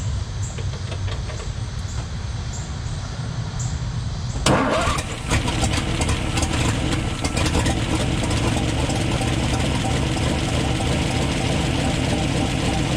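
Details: 1962 Ford F-350 V8, off the road 24 years, engine rebuilt: starter grinds, engine fires and lumps along unevenly at a loping idle; rough idle, cause unclear.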